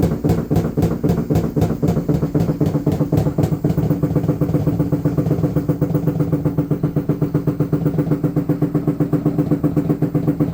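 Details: LG washing machine during spin: heavy droning with fast, very even thumping at nearly four beats per second, a loud rhythmic knock that is getting worse.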